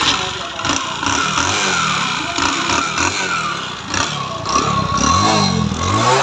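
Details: Bajaj Discover 100 motorcycle with an engine sound problem before disassembly. The small single revs unevenly with a rattly, clattery edge over the exhaust as the throttle blips; abnormal internal engine noise, cause unknown.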